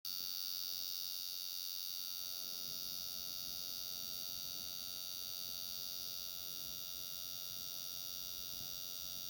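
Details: Brand-new Dell XPS 13 laptop cooling fan: thin, steady high-pitched whine with fast buzzing pulse; owner suspects a bad or missing fan bearing.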